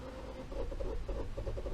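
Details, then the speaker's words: 1.5 EcoBoost Ford Escape (2016–2018), at 142,000: fast, even cranking with no firing. Exhaust camshaft slipped in its phaser/sprocket and is out of time with the crank (exhaust cam reads −38.62° while cranking). P0301/P0302 codes and wet plugs; water intrusion suspected. "this exhaust camshaft phaser or sprocket has slipped on the camshaft itself and it's no longer lined up with the crank"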